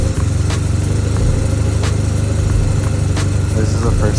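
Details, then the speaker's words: 1991 Toyota Celica All-Trac Turbo barn find that would not start, now with a replacement PCM and a jumper cable grounding the battery ground bar to the engine block. It starts and holds a deep, fairly steady idle with light ticks. The radiator is cracked. "with the new PCM it actually sounded like it was gonna start but I just wanted to make sure that it was getting a proper ground"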